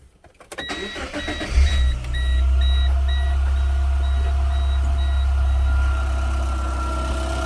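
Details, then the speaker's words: Car started after replacing a wrench-damaged, pinhole-leaking oil filter, purging air from the filter; brief crank, then a smooth, even idle with dash chimes; normal start and idle. "so i'm gonna start it up it'll purge the uh air out of the filter and then after i clean it up we can uh double check the fluid level"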